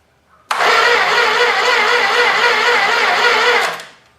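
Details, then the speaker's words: Old 318 engine sat for a long time, better jumper cables on starter, carb spray added: about three seconds of steady cranking without a pop; check found weak spark from the coil; crank no start, weak ignition spark. "all right it doesn't seem to be popping so I'm just going to do a quick check make sure I've got spark"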